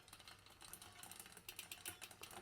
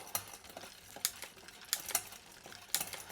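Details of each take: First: Mountain bike rear derailleur deliberately misadjusted, chain pedalled: rapid light tick-tick ticking as the chain is pushed toward the next cog; the adjustment has gone too far and is then corrected. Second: Mountain bike rear derailleur after tightening the barrel adjuster: crisp single clicks about once a second as the chain steps through the middle cogs, with no grinding or chatter. Normal gear shifting.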